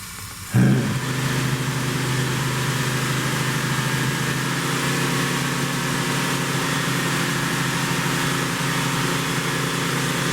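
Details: 1972 Plymouth Roadrunner 383 Magnum V8 with stock/RV-grind cam, break-in run (~11 minutes total) after 15+ months unrun, starts immediately: steady, even high idle, smooth drone, no knocks or misses; normal fast idle.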